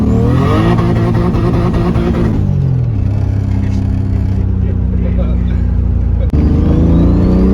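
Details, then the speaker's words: Turbo M52-swapped BMW E30 with a new full 3-inch stainless turbo-back exhaust, after re-tightening a coupler that had come off. Deep, smooth drone drops off and picks back up cleanly with the revs, with no rattles or leaks. It is quieter and healthy. "took it back pretty happy with exhaust uh a lot Qui quieter now"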